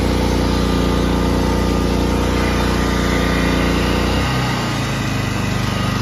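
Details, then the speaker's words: Harbor Freight Predator 3500 inverter generator after replacing the inverter module and cleaning the carburetor. It runs steadily during voltage testing, with the note dropping and settling as load changes; even rhythm, no knocks, healthy. "the last clip which is the general running and me testing for voltage and doing some load [Music] changes"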